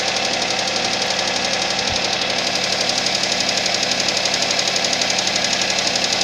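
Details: Suzuki Vitara engine at cold idle with steady, even knocking about three times a second, constant throughout; cold-start engine knock.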